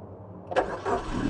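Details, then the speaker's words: Used 2017 Suzuki Ignis manual, start during a pre-purchase check: quiet pause, then it catches immediately on a brief crank and settles into smooth idle, no delay; electrics and ignition judged very good. "jadi begitu distart dia langsung langsung hidup jadi Tidak tidak ada jeda jeda hidupnya itu berarti kelistrikannya pengapiannya masih sangat bagus"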